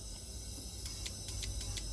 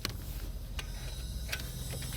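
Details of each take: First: LPG taxi that stalled while driving, rail pressure dropping fast; injector connector moved cylinder by cylinder and energized. Cylinder 1 gives crisp, evenly spaced clicks about five a second with a faint hiss. Normal injector operation. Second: LPG taxi that stalled while driving, no fault codes, rail pressure dropping at once after shutoff: key clicks, then a steady high gas hiss builds with the engine off, with strong gas smell; LPG leaking through faulty injectors.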